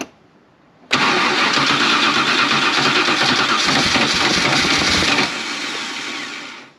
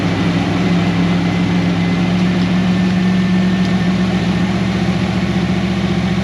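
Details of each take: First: 1988 Holden VL SV88, Rochester Quadrajet carburettor, cranked with no throttle: it cranks about four seconds without catching, then rushes and fades. Fuel is seen welling up out of the carby, so it is flooding; a needle and seat held open by suspected debris. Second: 1988 Holden VL SV88 V8 after repairing the Rochester Quadrajet needle and seat and choke arm, muffler removed: an even, deep idle burble at about 220 pulses a minute with no stumbles or misses.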